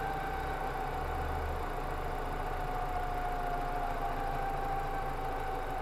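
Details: BMW E46 at idle: a thin, steady whine sits over an even idle rumble; abnormal engine noise, source not yet clear.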